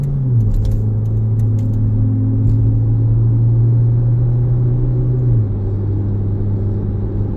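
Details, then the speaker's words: 2017 Jeep Patriot, 142k miles, road test at about half throttle after a 6F24 six-speed automatic service with Amsoil Signature Series fluid; drone climbs then drops cleanly into the next gear, no flare or clunk, shifts crisp and improved. "the shifts feel good. They definitely feel improved. Oh yeah, that's crispy."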